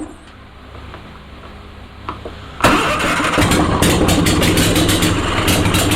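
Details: Onan Performer 20 hp twin, on bench after reattaching loose coil/battery wire: quiet, then fires and picks up to steady, fast, slightly lumpy beat; engine runs.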